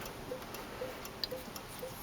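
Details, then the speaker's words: 1968 AMX with 401 V8, checking lights: crisp, even ticking a few times a second in a quiet cabin that never stops; turn signal flasher stuck on. "i don't know how this is supposed to work i got the flasher stuck on now"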